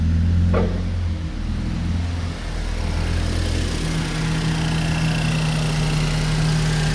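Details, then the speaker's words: Rebuilt A20NFT engine, under 59,000 km, no check engine light: smooth, even idle hum with light regular injector and high-pressure pump ticking, no knock, misfire or smoke; normal, charcoal canister solenoid clicking also normal. "It's fine, it's not smoking, it doesn't make any weird sound or something or whatever."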